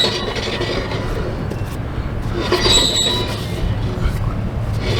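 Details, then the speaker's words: 1971 Shasta travel trailer, owner reported knocking from wheels; drum brake on wheel spun by hand before shoes removed. Rumble with brief high metallic squeal and light clinks, a lot of noise: brake noise on spinning wheel, cause not yet clear. "Well, what do you know about that? This one here is making a lot of noise."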